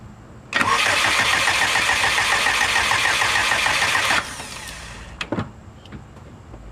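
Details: Subaru engine on reverted tune values, fuel pressure present but slowly dropping: starter spins it with an even chug for about three and a half seconds, then stops; engine never catches, crank no start.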